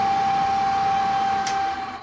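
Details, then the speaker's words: Range hood exhaust fan motor from a 1985 U-Haul CT-13 camper runs with a steady high whine that sounds okay at first, then drags, slows and dies away; owner suspects something is binding, not confirmed. "it sounds like someone's doing some very bad things to it, and just does not sound like it's running too well."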